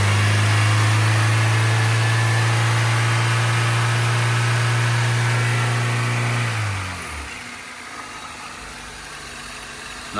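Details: Honda Civic four-cylinder, first run after RTV and an improvised paper gasket: smooth, even low idle with no misses or ticking for about six seconds, then a clean shutdown; healthy, no oil seen coming out.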